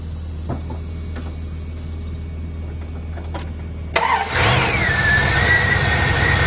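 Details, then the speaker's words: 2000 Dodge Ram Van B1500 with code P0505 idle control system malfunction, heard from the front: cranks, catches and idles with a steady airy hiss of air sucking in, a vacuum leak that went away once things were hooked back up. "remember when I had it running before you heard in the front we heard it vacuum sucking in like crazy"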